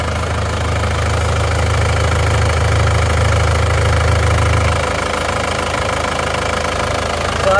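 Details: Isuzu Panther diesel idling cold (gauge on C, just started) after overhaul for heavy blow-by caused by running out of radiator coolant; two liners replaced and reversed, new piston rings; steady even low rumble, no knock or miss; normal idle.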